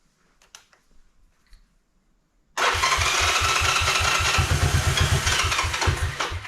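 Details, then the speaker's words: 1986 Honda Fourtrax 125 first test fire after carburetor cleaning and new fuel line, no fuel leaks: quiet, then it catches and settles into an even thumping run of about two and a half beats a second; normal running. "look at that it wants to run"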